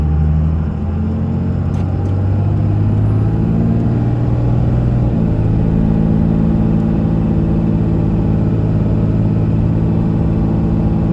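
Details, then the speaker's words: 2001 Dodge Ram 2500 4x4, 5.9 Cummins diesel, automatic, 90k miles, fully serviced, pulling uphill; a deep rumble with a clean upshift midway and no hesitation, slip, flare or bang: normal engine and transmission under load. "We'll head up the hill so you can hear the Cummins run, as well as the automatic transmission run through the gears. You can hear how it doesn't hesitate, it doesn't shift hard or slip or have any problems at all."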